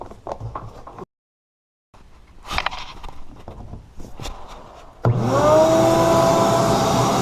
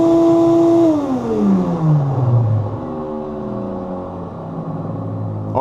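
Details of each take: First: Ridgid shop vacuum after oiling its motor bearings: starts, runs with a steady even hum and airflow rush, then winds down smoothly, the previous whining gone. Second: Ridgid shop vac switched off: motor whine dropping in pitch as it slows, from dry motor bearings; owner oils them since it can burn out otherwise.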